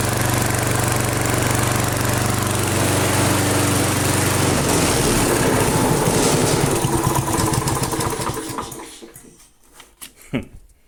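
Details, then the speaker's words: Flea-market lawn mower, Briggs & Stratton 5 HP single, half throttle after priming, air cleaner off: runs fairly steady with slight rise and fall in speed, then dies; owner suspects hunting from missing air cleaner. Mild idle hunting. "It's running just fine, and I think the little bit of hunting you saw there is because it doesn't have the air cleaner on."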